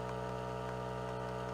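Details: Surgical console (irrigation on, aspiration high, cutting power off) during troubleshooting with foot pedal pressed: even, steady motor hum, constant pitch, no knocks or rattles as the pump inflates the cuff tight around the irrigation bag; running normally.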